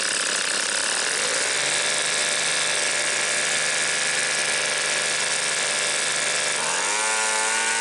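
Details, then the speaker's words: Two-stroke leaf blower bought at a garage sale, before carb adjustment: a high, thin, buzzy note whose pitch climbs near the end. It sounds like it is running slightly lean. "runs pretty good I'm gonna get my pac-man a carp adjusting screwdriver and see if we can tweak you can get a little more rpms out of it it sounds like it's running just a little lean"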